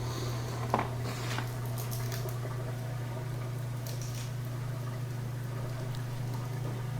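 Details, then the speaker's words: Whirlpool Thin Twin laundry center washer after a lid switch fix, which had stopped it spinning; steady low drain-pump hum with water gurgling, no grinding, draining normally again. "So we can hear it draining now, back to normal."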